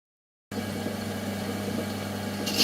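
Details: 1993 Hymer Ducato 2.5TD diesel camper idling: steady hum, then a sharp high squeal as the narrow V belt slips on a worn crankshaft pulley; fixed with a new crankshaft pulley.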